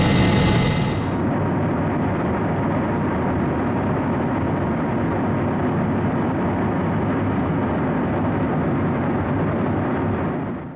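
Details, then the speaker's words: Honeywell TFE731 right engine on a corporate jet, started after troubleshooting and repair of aborted starts. Starter and igniters disengage and the start is cool. Steady, even jet roar at one pitch with no surging or popping; normal running. "starter is engaged fuel is on ignition is on oil pressure is coming up starters disengaged igniters are disengaged nice cool start"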